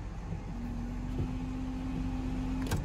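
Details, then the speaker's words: 1999 Ford F-150, after replacing a blown fuse that had caused communication problems with the GEM module: the washer pump gives a steady low whine for about two seconds over the engine, then stops cleanly; working normally. "bam looks like everything is working now"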